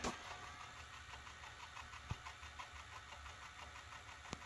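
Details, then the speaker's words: 1982 Sony SLO-420 industrial Betamax VCR on 1/5 slow-motion playback: faint, quiet mechanical whirr with soft regular ticks as the tape creeps along; transport running normally. "you can also do one fifth which is a slow motion you can hear it slowly slowly moving along there"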